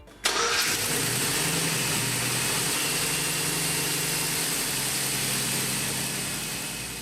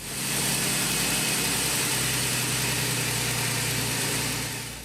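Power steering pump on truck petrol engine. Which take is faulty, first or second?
second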